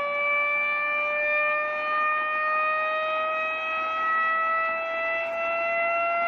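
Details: Reverse joule thief oscillator, 2N3055 NPN transistor, started by knife-shorting its leads: pure whistle rising slowly in pitch as supply voltage sags toward about 75–80 mV; normal operation.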